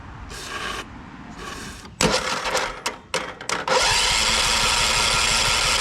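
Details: 2001 John Deere LT133 lawn tractor, 13 hp Kohler Command single-cylinder, no-crank fault, started by jumping solenoid with starter spray; solenoid tab found off: scrapes and cranking, then catches to steady even rapid beat; runs normally.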